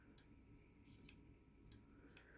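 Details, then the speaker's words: Cornell MGRL3311E rolling steel door operator with multi-code 1090 receiver and universal photo eyes: faint, crisp clicks a second or so apart in a quiet room; normal relay click inside the receiver. "Basically, you can hear a little relay click inside the receiver."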